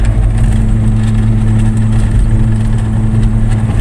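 A steady low droning hum while coasting, typical of a worn wheel bearing.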